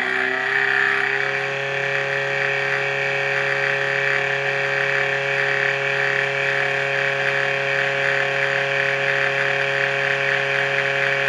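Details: Cifer 2486 Intelligent Terminal with 8" external disk drive, unused since about 1982, first power-up after some 32 years: a loud, steady high-pitched screech over the drive hum, apparently from the rear fan, likely a dry fan bearing needing attention; no smoke.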